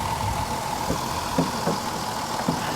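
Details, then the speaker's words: Vehicle with third-row seats at Copart salvage auction, recorded under the hood, possibly low on gas with a suspected slight misfire: quiet, steady, even idle with a faint low hum and a few soft ticks, nothing knocking or missing; running very well. "let's check under the hood see how she's doing it's it's quiet listen to this she's running very well very well"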